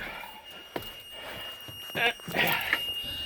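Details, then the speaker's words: Boat cabin during a mid-winter checkup: a thin, steady high-pitched alarm from a bilge float, heard on boarding, over handling knocks. There is water in the cabin, and the owner suspects a dead battery. "Well, it's a good thing I checked because the noise indicator, the sounding alarm for one of the floats down there is on. As soon as I got in the boat, I heard it come on."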